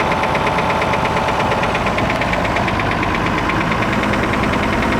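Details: Perkins T6.354 M marine diesel idling with a steady, sharp engine knock repeating about three times a second.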